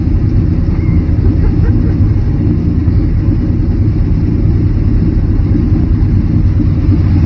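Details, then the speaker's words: Barn-find Chevrolet C10 shortbed, run after sitting 17 years, with three-inch Flowmaster exhaust: deep, steady V8 rumble, firing even with no misses or knocks, revved a little; normal running. "give it a little sounds pretty good i like flowmasters that's what that is three inch for the floor master yeah i think that sounds pretty damn good"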